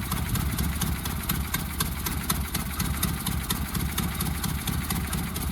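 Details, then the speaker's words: 1976 Mustang II carbureted engine started cold after sitting a while, old fuel suspected of clogging the carb: low, uneven, stumbling idle that runs less rough once warmed; rough cold idle. "Alright, so she's a little bit more warmed up now. Not running as rough."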